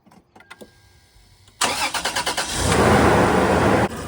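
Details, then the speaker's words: Toyota 4Runner started after sitting about 6 months, right after battery replacement: short run of quick, even cranking pulses, then it catches cleanly and settles into a steady idle; normal, healthy start. "All right, guys, so now we're gonna do the ultimate test and start it up and see what start. This hasn't been started in like 6 months."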